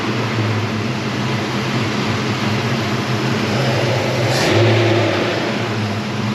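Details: 1977 Chevy Nova Concours after new oil, transmission fluid, plugs, wires, cap and rotor: steady even low idle with one brief throttle blip, no misses or knocks; owner may adjust the carburetor idle screw.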